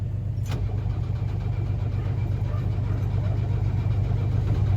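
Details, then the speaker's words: Diesel S-10, after bigger turbo install: steady low cranking churn about three compressions a second, just beginning to fire after priming the pump with its button; it then started. "So, I'm pushing that button, and I just got it to start kind of starting to fire a little bit."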